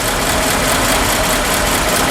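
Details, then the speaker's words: 1952 Ford F4 farm truck, 43,000 miles, mildly restored, engine with mechanical fuel pump and 1-barrel carburetor: quiet, low, steady thump-thump idle like a tractor motor; normal idle. "I mean, it is quiet, quiet, quiet. Everything works just as it should. I think this was the same motor that they put in the 8N tractor, and it has kind of a tractor motor sound to it, kind of a thump, thump, thump, thump, thump."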